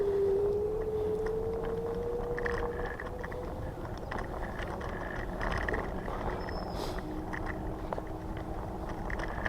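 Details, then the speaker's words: Electric scooter riding through park, first ride with new suspension: motor whine, wind and road hiss, loose irregular rattling from wobbling new rear fender; owner plans caulking adhesive behind the light to stop it. "oh that's what it is it's the fender rattling"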